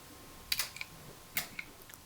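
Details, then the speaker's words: Mesa Boogie Bigfoot footswitch pedal for a revision D Triple Rectifier, after its chips were replaced: crisp single relay clicks as each switch is pressed, with none of the chirping heard before; relays switching normally. "So if we look through this now, you probably hear the clicking go on."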